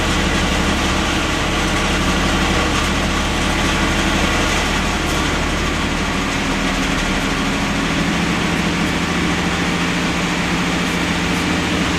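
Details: AMC Eagle 258 after a TFI ignition upgrade and Nutter bypass, running cold: fast, busy high idle that won't settle. The owner suspects the choke is on backwards, triggering the carburetor's high-idle feature; the earlier miss seems gone.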